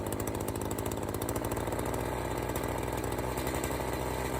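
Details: Echo CS-590 chainsaw after the low-speed screw was set midway between its bog points: steady, even two-stroke burble at idle with no surging or bogging; the low-speed mixture is right.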